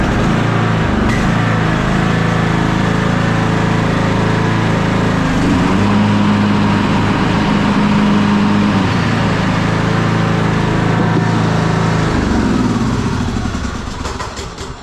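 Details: Old Troy-Bilt riding lawn mower, long-stored, after crank-but-no-start fix, started on choke with blade belt engaged: small engine settles into steady, even run, then winds down and stops cleanly; sounds healthy.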